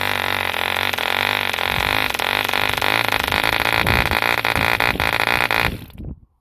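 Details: 1948 E.D. Mark II Competition Special 2cc long-stroke model diesel, first start after rebuild from two incomplete engines: high even buzzing drone steady several seconds, then dies out cleanly; healthy running.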